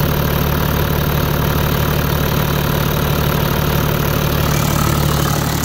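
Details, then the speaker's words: 20-year-old Toyota Land Cruiser 100 series, 1HD-FTE 4.2 turbo diesel, cold idle before repair: steady clatter with a regular tick near the injection pump, running rough with occasional misfire and heavy smoke; owner suspects the injection pump, which replacement later smoothed. "still got the occasional misfire there it's still running a little rough a lot of ticking coming from"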